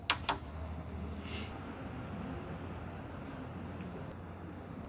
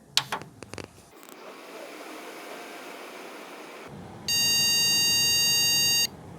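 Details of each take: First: PC on a recent motherboard with memory and graphics card reinstalled: a couple of switch clicks, then only a steady soft fan hum as the screen comes up and it boots, with no beeps at all; normal boot with no POST beep. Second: PC with graphics card removed: switch-on clicks and fan hiss, then after a long delay one long and two short beeps repeating continuously; no graphics card detected.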